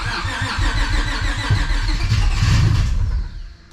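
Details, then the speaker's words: Civic with nitrous stroker V6 swap, new ECU with base map tune just loaded, battery slowly dying: uneven cranking about 3.5 beats per second with cylinders trying to fire, never starts. Owner suspects the base map. "I'm pretty sure I uploaded the tune to the ECU and now it kind of wants to start but it still won't start all the way"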